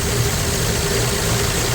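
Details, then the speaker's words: 1965 Plymouth Valiant 100 slant six, first start in years, oil light off, owner guesses oil is flowing: steady, even idle with faint light hum, no clatter or dry tapping; sounds good, normal idle. "it doesn't sound like there's no oil. Woo! Well, that's awesome, man. Well, that sounds good. That's idling nice."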